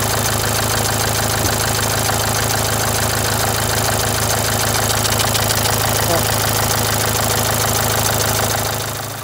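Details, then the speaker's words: Renault Symbol, a month after a full engine rebuild: rough, shaky idle with a dense beat about three per second; the timing belt jumped a tooth from a failed tensioner bearing, though the pump was suspected earlier. "gergi bilyası arızası çıktığı için araba semti atlamış diş kaçmış O yüzden gürültülü değişik bir şekilde çalışmış mı değişik bir şekilde titreşimli çalışıyormuş"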